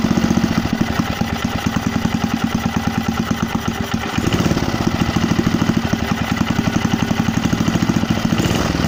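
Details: Briggs and Stratton 3 HP petrol engine on a Landmaster rotavator, first start after rebuild with another crank fitted: quick, even single-cylinder chug with a brief dip midway, then smooth and regular; running properly.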